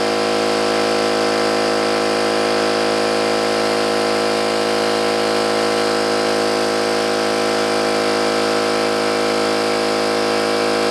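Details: New oil-lubricated Campbell-Hausfeld air compressor, filling the tank under load: steady even pump drone at constant pitch with a regular beat, no metallic clatter or knocking, unlike the old Brute; healthy.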